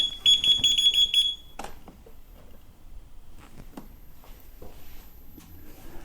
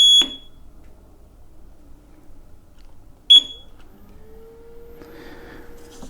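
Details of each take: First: Kingsong KS18XL electric unicycle powered on right after a firmware 2.0 update: rapid high-pitched beeps about three a second for over a second signal that it needs recalibration. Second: KingSong KS18XL electric unicycle after its firmware 2.0 update, recalibrated through the EUC World app: two short, sharp high beeps about three seconds apart signal calibration complete. Motor whine is gone after the update.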